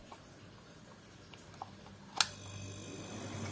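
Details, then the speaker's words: Freezer box compressor replacement, bench test with overload and relay fitted before brazing suction pipe: sharp relay click, then steady hum and strong airflow as compressor starts and runs normally. "Oke, kita lihat di sini kompresor hidup ya."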